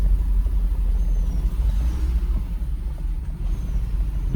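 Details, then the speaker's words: Mercedes SL500, morning start before adding fresh gas or Sea Foam, on suspected old gas; deep uneven tractor-like rumble that lurches and stumbles, wants to die, throttle being modulated; owner suspects bad gas confusing O2 sensor; rough running. "Gas just doesn't do it for this thing right now. It will run on it, but it's obviously not right. Sounds like a friggin' tractor."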